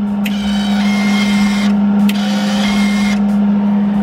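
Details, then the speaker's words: MIG welder with trigger pulled to run the wire feed mechanism, loud cooling fan running: steady even motor hum at one pitch while feed rollers whir smoothly, no catching or stutter; normal wire feed. "all right so what we're going to do is we're going to pull that little blue trigger right there and you'll see this mechanism move"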